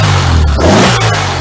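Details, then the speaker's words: 1974 VW Beetle SunBug with standard-weight flywheel (replaced the original lightweight one), quick free-revving blip rising and falling cleanly with an even, steady exhaust note, no knocks or misses; smooth, snappy acceleration, healthy engine. ">> That is smooth. Snappy acceleration. Very snappy."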